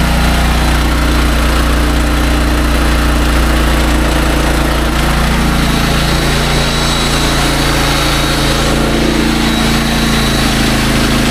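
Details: Restored SDMO 5000W generator with a Briggs & Stratton engine (about 18 hp), low on fuel and sitting on an angle, under a 6 hp vacuum and 1500 W heater (about 15–20 A expected): a firm, steady drone with no surging or laboring. It runs well.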